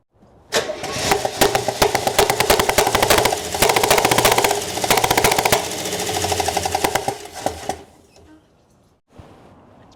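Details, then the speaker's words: 1968 Oldsmobile Delmont 88, parked 36 years, first start on gas poured into the carb. It runs ragged and sputtering, with irregular pops over a rough idle, then dies after several seconds. Misfire suspected from a bad spark plug or camshaft, not a valve. "popping. Is that a valve? >> No. Might be a bad funky spark funky spark plug or a cam shaft. One or the other."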